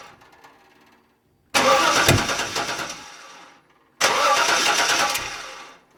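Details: 1994 wagon cranking in two bursts of a couple of seconds, starter spinning steadily but engine never catches; crank no start while troubleshooting spark.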